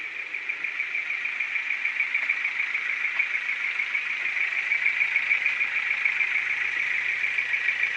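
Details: Ford Focus 2 with 1.6 100 hp engine: sharp, regular tick about three times a second over a thin idle hum. Engine knock; cause not yet pinned down.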